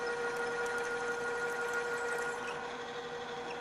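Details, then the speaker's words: Drill press drilling metal, switched to a lower speed after chatter: a steady mid-pitched whirr with an even light chatter of the bit; the drill is cutting smoothly at the lower speed. "so we'll try that again this time run it on a lower speed the drill is cutting much more smoothly"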